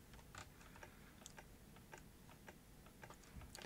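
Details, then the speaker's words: Light irregular ticking clicks as a Canon UC-X10 camcorder with a stuck tape, powered at 6.1 V on the battery terminals, tries to engage its tape mechanism and fails. "clicking uh it might be taking more current than we can give it let's put up our current limit"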